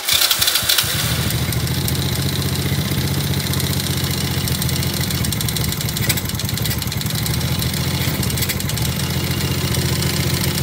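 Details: ATV with a 107/110/125cc engine, just reassembled after clutch disc replacement: brief cranking bursts, then it catches and settles into a steady, even idle with a firm low thrum, running cleanly.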